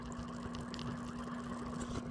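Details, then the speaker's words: Aquarium water pump after repair, running submerged in a snail tank: a steady low electric hum at a fixed pitch with faint bubbling, smooth and quiet. The repaired pump is working normally. "So, it's working. It's working."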